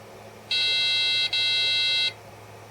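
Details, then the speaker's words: Amiga A2386 386 Bridgeboard under repair for corrosion, booted after inspection with original GALs refitted; single clean high beep about 1.5 s, nothing after, normal power-on self-test pass, worked first time. "Well, after doing that, it worked first time. It worked first time."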